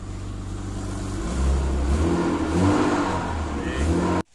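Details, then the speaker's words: Acura started and revved briefly to get fuel in: the engine revs and settles with a slightly raspy exhaust note from a minor exhaust leak; headers, downpipe and test pipe are waiting to be installed. "give her a quick turn get some fuel in there I know you guys hear that minor exhaust leak"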